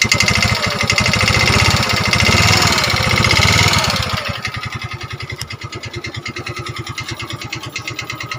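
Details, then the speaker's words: Yamaha Mio 125 automatic scooter, freshly rebuilt with new piston block, rings still harsh: revs rise harsh and uneven then settle to a lumpy, rattly idle; also smokes and burns oil within a week; worn piston rings and rocker arms suspected. "jadi suara kasar dan biasanya ini penyakit umum atau sering terjadi pada Motors yang sejenis ini atau yang yang jenis Yamaha 125 ya guys"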